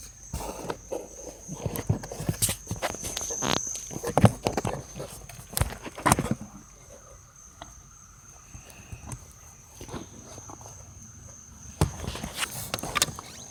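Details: 2005 Dodge Dakota: sharp, irregular clicks from behind the dash/glove box with thin tone when blower is adjusted, first with heat on; suspected air door actuator, to be replaced.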